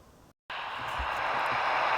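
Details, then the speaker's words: 1959 Murphy U502 valve radio under restoration, run with a 150 mA fuse in place of 250 mA: short dropout then steady soft speaker hiss, no hum or crackle; audio stage passing signal, though a preamp grid voltage fault is found. "right so as you can hear now we do have a hissing noise through the speaker so it's looking good"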